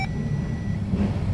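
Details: 2011 Audi A4 that would not start: after power is applied to the fuel pump wiring, the engine runs with a deep, even rumble, no misfire or stumble; normal running.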